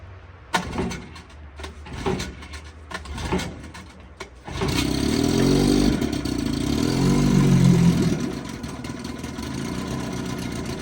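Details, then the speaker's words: 1955 Johnson 5.5 hp outboard running in a test barrel; a few pull-cord tugs, then the two-stroke catches and settles into a steady, even buzz: a great runner. "Another great runner."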